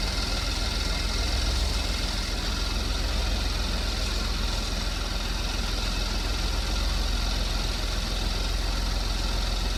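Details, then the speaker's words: 2015 Porsche Macan, first start after timing chain replacement with BCM programmed to new keys: quiet, even idle with a smooth low drone, no rattles or ticking. No check engine light; a small coolant leak was noticed afterwards. "Alright, so it's got a little bit of a, I wouldn't even call it a mist to it, but there's no check engine light on. Everything seems to be working as designed."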